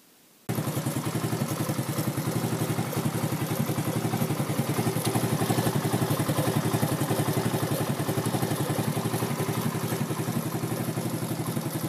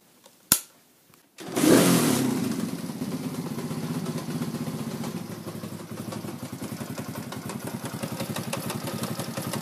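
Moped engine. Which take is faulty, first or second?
second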